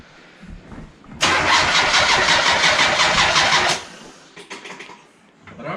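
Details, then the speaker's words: Turbo Mazda Miata with newly installed MegaSquirt and base map: starter cranks about two and a half seconds with even pulses near three a second and never fires; no spark despite replaced cam angle sensor, igniter, coils and plugs. "he's still not getting spark and after mega squirt still no spark we're trying to figure out what is it"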